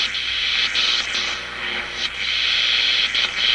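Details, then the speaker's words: RCA Victor A-23 vacuum tube radio after replacing paper and molded capacitors, tuned across one band: a steady high-pitched scream with hiss at one spot on the dial, judged outside interference, not oscillation. "That's interference. It's not oscillation."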